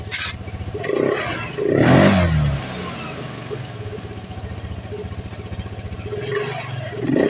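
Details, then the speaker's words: Vespa LX 150 ie injection scooter after CVT disassembly and reassembly without new parts: engine settles and revs evenly, the earlier harsh rattling clatter from the CVT gone; transmission now smooth and healthy. "mantap ya sudah tidak terdengar lagi ya keletek-keletek parah seperti awal sebelum kita bongkar ya teman-teman"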